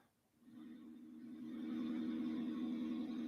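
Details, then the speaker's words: Transceiver on bench tuned to 14.287 MHz, full volume, nothing tuned in: low putt-putt throbbing about four pulses a second from speaker; receiver audio motorboating, cause unknown, like a previous FT1000MP. "And you can hear that motorboating sound. That motorboating sound sounds very familiar. It sounds like the last FT1000 MP that I was working on made this same noise."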